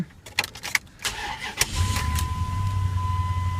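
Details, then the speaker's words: 2002 Dodge Dakota 4.7 V8 at 120,661 miles, early-morning cold start: a few clicks, a quick crank, then it catches at once and settles into a smooth, steady idle. Healthy cold start. "Starts right up. Mileage here for you. The 120, 661's the mileage. Sounds real nice and smooth here."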